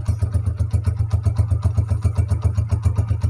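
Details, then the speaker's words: Honda CG125 old non-Euro model, 2010–11, after piston and ring rebuild and tappet setting: even low thumping idle about four pulses a second, steady with no ticking; sound now fixed, normal idle. "तो यहां पर देखिए दोस्तों bike की sound बड़ी बेहतरीन हो गई"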